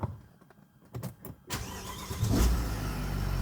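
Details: Mercedes W164 ML450 CDI 4MATIC V8 diesel starting after a DIY service, with the fuel system primed and air purged first: short crank, catches cleanly within a second and settles to a steady, even idle. Normal start.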